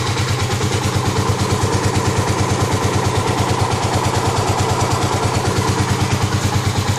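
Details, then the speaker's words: 2009 Kawasaki KLX250S first start-up after 300 big bore kit: idling at only about 1000 rpm where about 1500 is specified, slow even thump with a lazy lope, before being raised; low idle speed. "one half thousand supposed to idle that's only a thousand now a little bit more that's good"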